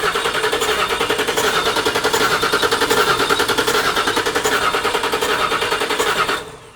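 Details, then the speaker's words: 1979 Toyota Cressida fitted with a 5.4L V8, first start attempt: the engine coughs and splutters in ragged bursts, never firing into a steady run, then dies. Coughing misfire and no start; the ECU connectors were later reattached. "but it's just like coughing and splattering on any of it not even"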